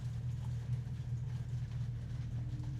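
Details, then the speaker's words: 2024 Dodge Charger Daytona EV after a dead 12-volt battery was boosted, now showing ready: deep, steady droning Fratzonic synthetic exhaust rumble with a slight pulse; the artificial exhaust sound is playing normally. "We have ready. It has started this time. You can hear that fret sonic."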